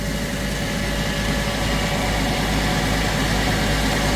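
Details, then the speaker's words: Hardi 363 tractor-mounted sprayer pump after new bearings, spraying water, tractor idling: steady, even low drone with no knocking or rumble from the pump; bearings sound smooth, repair successful. "Just to give this a go and see if we've uh rectified the problem. Seems good, I think. Sounds good."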